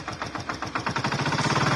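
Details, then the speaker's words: Hero Glamour FI motorcycle engine at idle: quick, even rattle about nine per second that fades when revved, so not the crank; mechanic suspects a loose magnet or balancer; loose balancer rattle. "मेरे ख्याल से इसका जो magnet है ना magnet या तो loose है या वो साइड का बैलेंसर लूज है यह दोनों में से ही कुछ लूज है"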